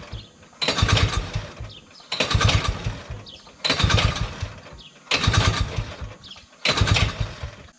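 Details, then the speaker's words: 1971 Massey Ferguson Ski Whiz 300s snowmobile, JLO single-cylinder, sat 20+ years, choked: five pull-start bursts about every 1.5 s, brief coughs, no catch; dry fuel pump diaphragms, not enough fuel suspected. "The diaphragms and the pump can be rather dry. This is where it's awesome to have two people. There's still not enough fuel. Not enough fuel."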